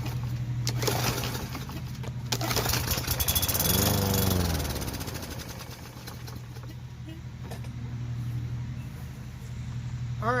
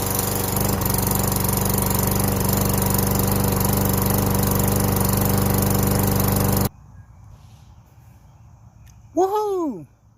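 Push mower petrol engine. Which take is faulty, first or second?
first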